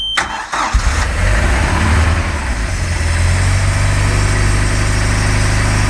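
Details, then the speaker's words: Cold MerCruiser 3.0 boat engine after winter, out of gear, garden hose supplying cooling water, throttle pumped 3–4 times to prime the carburetor. Starter cranks briefly, then it catches into a steady, even low idle: a clean cold start. "So what you do is just you pump some gas into carburetor. Because of the winter, you need to do that, and your engine is cold. So let's see if it starts."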